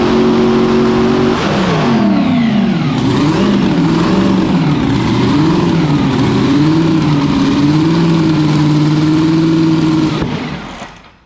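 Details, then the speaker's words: Small-block Chevy V8 on a 400 main block, after the mixture was leaned to fix fuel issues: crisp blips, then a steady high rev that dies fast at fuel cutoff. It sounds healthy and sharp. "Basically, we just leaned the thing off quite a bit, and it seems quite aggressive and where I'd feel it should be."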